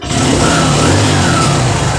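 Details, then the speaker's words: TVS Sport motorcycle after fixing the timing chain noise: short revs that settle cleanly with an even note and no rattle or tapping. It sounds like a new engine. "सुनने में ए रहा है एकदम perfect तरह से इतना sound हो गया नया इंजन के जैसे"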